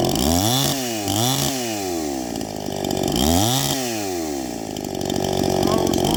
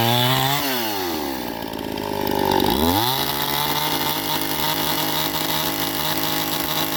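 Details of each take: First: Stihl MS261 first generation with a high-circuit tune, gutted and ported muffler, rebuilt Zama carb, 30:1 on 91 octane, at 7000 ft, cutting dry Ponderosa: screams at full throttle, pitch dipping under load, clean and strong. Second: Stihl MS261 first-generation chainsaw at 7,000 ft, ported muffler, rebuilt Zama carb, 30:1 91-octane ethanol-free mix, high-circuit tuning: slight four-stroking burble at high RPM, pointing to a slightly rich high-speed setting, clearing in the cut.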